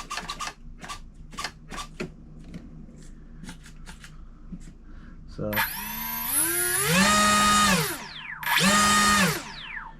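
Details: OMP Hobby T720 trainer RC plane, electric motor run-up before its maiden flight. A few light clicks, then a smooth whine climbs, holds and drops off, twice; motor and prop run clean and strong.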